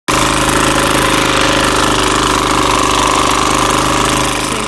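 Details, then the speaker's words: Free four-wheeler (ATV) engine running with a loud, hard knocking clatter over the exhaust note; described as the worst rod knock, though it still runs. Rod knock suspected, not confirmed. "has the worst rod knock you guys have ever seen in a four-wheeler it's bad but it still runs"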